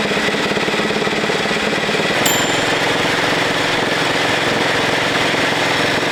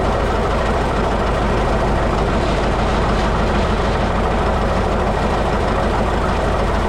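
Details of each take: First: 1941 Caterpillar dozer, sat for years: pony motor running with harsh rattling grind, pulsing then continuous, as its drive fails to mesh and turn the main engine flywheel; engagement problem suspected, not confirmed. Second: 1941 Caterpillar dozer, sat for a few years: engine lopes at a slow, fairly even idle with heavy clatter and no stumbling; it will only idle so far, more fuel needed.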